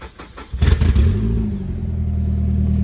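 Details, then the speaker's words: Exhaust leak at a rusted flange, before final tightening of a homemade no-weld "Frankenflange" repair; idling in neutral, e-brake on, a loud raspy low blat rising with rpm, quieter but still loud. "It's quieter, but it's still kind of loud."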